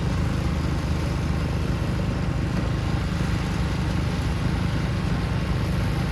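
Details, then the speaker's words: Ariens two-stage snow thrower model 11528, throwing snow at raised RPM in a snowstorm; steady deep drone held at high revs with no misses or knocks while the auger works; normal running under load. "Wow, this thing throws some snow. I've never had a snowblower that threw snow that well."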